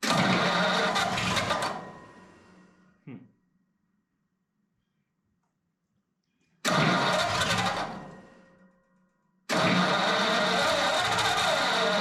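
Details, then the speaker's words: Ford flathead 8BA V8 from an F1 pickup, converted to 12V with new points, condenser, cap, rotor and coils, starter button replaced: repeated steady cranking, never catches. Crank no start; owner plans a direct fuel line from pump to tank. "I think my last thing to do is going to be um run a fuel line all the way from the fuel pump to a gas tank and see what it does I think [Applause] it's trying though"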